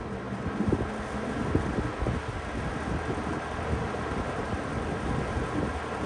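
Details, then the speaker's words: Late-80s/early-90s Toastmaster 20-inch box fan on medium speed: steady airy rush with light irregular clicking from the loose carry handle against the housing; handle rattle, can be damped with Post-its. "Start to hear that handle rattle a little bit. You definitely hear rattle."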